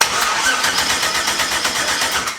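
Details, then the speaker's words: Turbo engine first start attempt, ECU set to 58x crank pickup, extra ground wire added, fuel pump on: fast even cranking about seven beats a second, turbo spinning, no firing catch; close to starting, cause not confirmed. "fuel pump it close to wants to start look at the thing spinning the turbo"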